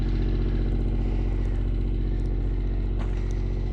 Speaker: Listen to that sweet, sweet sound of the generator cranking.